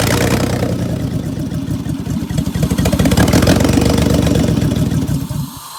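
Low, lumpy idle with an irregular pulse and loping dips in the exhaust note; the engine is misfiring on one bank.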